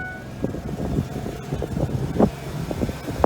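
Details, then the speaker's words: 2006 Ford F-150 4.2L V6, which had P0300/P0302/P0306 misfires at 45-55 mph, idling in the cab after a loose broken wire was crimped and battery connections cleaned: low, steady rumble, runs smooth with no misfire or check engine light. "And it's running very smooth. You can tell that no misfires for sure."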